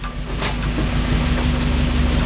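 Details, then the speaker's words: NA Mazda Miata on its first start after an engine, transmission and exhaust install, with the swapped front and rear fuel lines now corrected: it holds a steady, even idle just after starting, with no misses, knocks or hunting. It is running normally. "so as you guys just saw this thing started up and ran I'm so happy right now because I didn't think it was gonna work"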